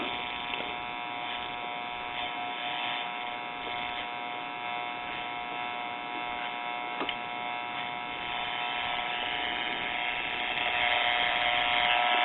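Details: RCA Victor model 96T4 1939 tube radio, dial bulb lit, checking the filter capacitor. A harsh, steady buzz comes from the speaker. An open filter capacitor is indicated.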